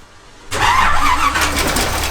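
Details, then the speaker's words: Toyota FJ45 Land Cruiser, about 40 years old and parked 15 years, after fuel removed, carburetor cleaner added and oil filled: after a quiet moment the engine catches at once and keeps running with a steady note. Engine starts after long storage. "oh my god it's it started yeah here's our problem"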